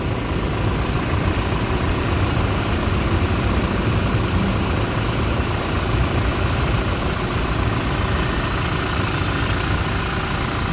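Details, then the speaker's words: 2016-up Toyota Fortuner after replacing alternator pulley, rear bearing and drive belt: smooth steady idle rumble with no belt squeal or bearing whine; sounds normal without the noise. "Okay, ito yung tunog niya mga paps pag walang maingay"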